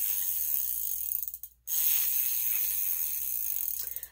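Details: Huffy Trail Runner full-suspension bike freewheel spun by hand gives a fast, harsh, raspy ratchet buzz, louder and rougher than normal pawl clicking.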